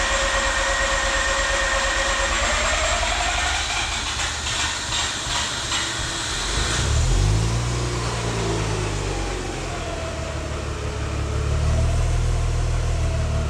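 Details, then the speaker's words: Freshly rebuilt Mazda RX-8 rotary running just after its first successful start: rapid, even buzzing that rises and falls with light revs and has no knocking; the rebuilt engine runs smoothly. "Yes. Yay! The RX-8 is alive once again. I'm really excited."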